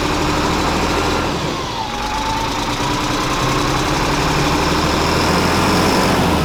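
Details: FMTV military truck bought at auction as a non-runner, first start: steady diesel clatter at a fast, even rhythm with no stumbling or dying off; engine idles smoothly and keeps running.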